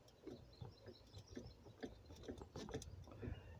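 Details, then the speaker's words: Budget drill press head rocked by hand: irregular small clicks and knocks as the end moves about an eighth of an inch, from play in a loose head mount; the column does not shift. "You hear it clicking as I'm I'm moving it. I'm the end is moving about an eighth of an inch. That's no good for drilling accuracy."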